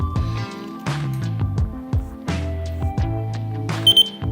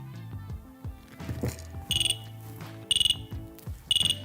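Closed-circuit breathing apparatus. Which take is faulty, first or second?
second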